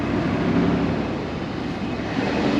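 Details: Jeep Grand Cherokee WJ 4.7 V8, previously judged toast, started and warming up: loping, uneven idle with stumbling exhaust pulses, felt as running on five and a half cylinders; rough idle misfire.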